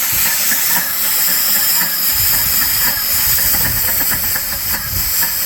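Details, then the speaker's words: Dake square-piston steam engine driving a capstan/windlass, run on compressed air. Rapid, fairly even hissing exhaust puffs over a light mechanical patter with no knock; normal running. "So, you've got four power strokes per. So, this one sounds pretty much like a Model T or something."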